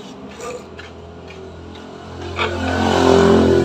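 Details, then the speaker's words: Yamaha Mio scooter fitted with a Shogun CDI that fires about 14–15° BTDC against the stock CDI's 5°, with the ignition timing left unadjusted: it revs up slowly with heavy pickup and a slightly rough, ragged note. "ini tarikannya berat dan juga nggak nanya ya sedikit kasar bunyinya"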